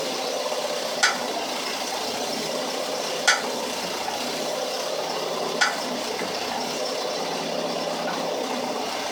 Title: Clunking noise when applying brake